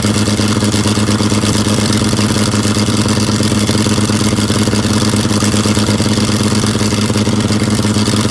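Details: Abandoned John Deere 55 parts tractor, unstarted for about 9–10 years, gasoline bottle-fed: a slightly uneven, loping idle chug with some clatter on top. It runs somewhat rough and a little rich.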